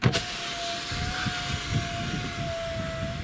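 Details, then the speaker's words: 2013 Citroën C4 power window after wiping the inner glass seal with a wet wipe: smooth, even motor hum and no squeak. "скрипа нет как видите все очень просто и банально"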